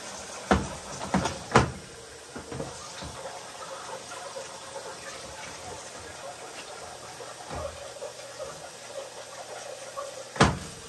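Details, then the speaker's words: Amana front-load washer with LF code, hot fill on heavy duty cycle: steady hiss of water flowing in with a few scattered drum clunks, hot water valve at top humming; hot side filling normally. "we are getting hot water I will run a normal Circle it fills with warm water so it's a combination of cool and hot water here so at this moment you can hear the water wall that's making humming noise"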